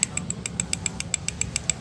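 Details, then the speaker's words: Car AC compressor turning, noisy only with AC on while cooling still works: sharp metallic ticks about seven a second, loose piston shoes with play knocking on the swash plate. "Jadi, ketika ini berputar, piston akan bergerak naik dan turun. Karena keterbatasan ruang, jadi begini , bro. Lihat, kamu bisa mendengar suaranya, kan? Makanya berisik, bro."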